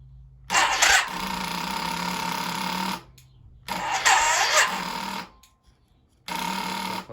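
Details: Yamaha XV 535 barn find after 10 years standing, freshly fueled, second start attempt: three bursts of starter whirring that turn the engine over but never catch. It cranks but won't start.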